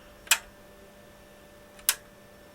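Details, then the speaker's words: Wavetek 1281 8.5-digit multimeter during repair, pressing front-panel function buttons: sharp isolated clicks about 1.5 seconds apart over a quiet hum, each a crisp latch relay set/reset driven correctly; normal relay switching clicks. "High impedance and then it goes high. So the high and the low correspond to setting and resetting that latch relay. So that drive and that one anyway is working fine."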